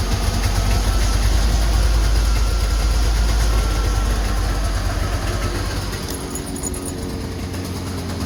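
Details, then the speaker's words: Two-stroke Subaru 360 van, cold start on choke after sitting a while: the engine catches and settles into a fast, slightly uneven buzzing idle with a steady low rumble. It starts smoking as it warms up. "Now the smoke starts. All right, I think we are ready to go. Let it warm up here a little bit, back it out, fill it full of my tools, and off to work we go."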